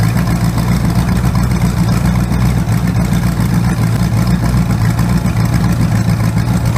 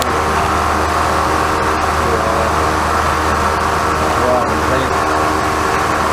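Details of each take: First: Freshly rebuilt 408 small-block Chevy on engine run stand, open headers, timing 20° initial, first start-up: loud idle with uneven, stumbling beat; number one cylinder misfiring from a bad used spark plug. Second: First start of a freshly rebuilt 408 small-block Chevy for a 1972 C20 truck (to be boosted, daily driven), with MSD distributor and carburetor and no tune yet: the V8 fires up and holds a strong, even, loud idle with no knocks or misses. Normal running.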